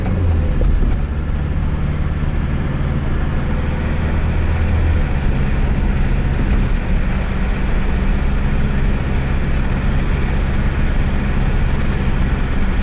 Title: 1998 subaru legacy noise when turning